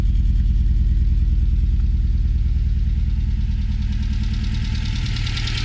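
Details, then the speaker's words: Mitsubishi Lancer GSR 1.8 turbo four-cylinder, just after new fuel pump fitted: low, lumpy beat about three pulses a second that wavers and never settles, running quietly; rough running, cause not yet found. "Oh! What the? It's running, kind of."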